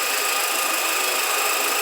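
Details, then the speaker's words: 2007 VW SpaceFox 1.6, recent timing belt job, engine running: constant gritty high-pitched metallic whir like a cricket, no knock rhythm; worn power steering pump bearing. "Então galera a Spacefox é que ela tá fazendo um barulho ó olha só sei que vai dar para vocês ouvir barulho parece que tem um grilo metal pegando sei lá alguma coisa né"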